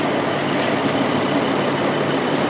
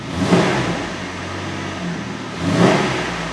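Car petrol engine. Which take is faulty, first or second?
first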